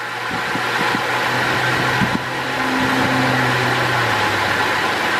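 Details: 2005 Holden VZ Crewman, 3.6 L Alloytec V6, idling around 950–970 rpm: uneven low hum with a stumbling beat from a misfire; a faulty coil pack is believed to be the cause.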